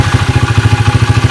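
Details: SDG Speed Defies Gravity 107/110cc pit bike, original engine with damaged 3rd and 4th gears and locked kick starter, due for a 125cc Lifan swap, at about 30°C: steady, even thumping at about twelve beats a second with no knocks or misses, a smooth normal idle.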